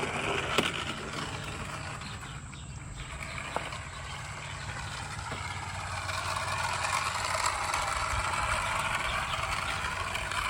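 A light, steady rolling hum with faint rail clicks over outdoor background; the model train is circling the loop smoothly.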